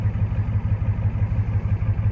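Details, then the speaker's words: Ford F250 7.3 IDI diesel, fully warmed after half an hour of driving: steady, even diesel clatter at about six beats a second with no misses or knocks; healthy warm idle, though glow plugs still need replacing. "running beautiful um i have to get some new gold plugs like i said but yeah this thing runs great down the road"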